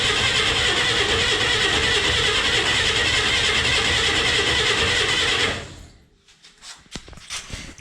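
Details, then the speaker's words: 1962 Chevy Corvair van, sat about a month, first start attempt, suspected not to be getting fuel yet: fast, regular starter churn about three turns a second for five seconds, never firing; cranks but no start. "it's not getting any fuel yet yeah and it's been sitting like a month"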